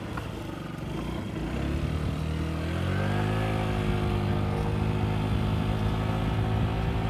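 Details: Yamaha Vino 50cc scooter climbing a hill with a brand-new Yamaha air filter, the same hill it got stuck on earlier: engine note rises smoothly and holds steady with no bogging or stutter.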